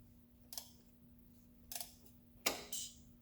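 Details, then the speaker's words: 2003 Toyota Corolla 1.8 L, after a new timing chain tensioner O-ring, engine turned slowly by hand with a 19 mm socket in a quiet shop: a few sharp metallic clicks as the tensioner releases and takes up the chain. "And there you go. Did you hear it there, boys and girls? And that's it tensioning."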